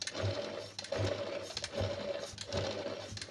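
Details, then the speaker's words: Sewing machine after oiling every point, including under the face plate, back and bottom: an even, light stitching rhythm, soft with no knocking or rattle. It was noisy at speed before, and the noise came only from lack of oil. "पहले बहुत ज्यादा आवाज कर रही थी अब सही हो गई केवल मशीन के यल के वजह से आवाज कर रही थी"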